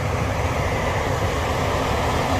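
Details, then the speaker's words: HVAC furnace blower after blower wheel replacement (the old wheel had caused a screeching noise), tested before closing up: steady, even rush of air with a low hum, no scraping, screech or wobble; normal blower operation. "that is beautiful no horrible scraping sound"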